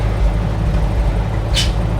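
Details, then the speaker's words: 1950s REO dump truck with straight-six engine, sitting over 22 years, air pressure building to about 90: short sharp air hiss as brakes apply and release over the low engine rumble; air brakes working normally. "Oh, I hear it. Oh, that's going to be hard to stop. You can hear the brakes going, though."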